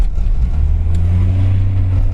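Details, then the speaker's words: Range Rover P38 after two gearbox fluid changes and fuel injection pump adjustment: deep, strong engine drone holding steady under load as it pulls away, smooth with no hesitation or knock; revving well and quicker, power problem believed solved. "It's revving well. It's definitely quicker. So, we think we've solved that."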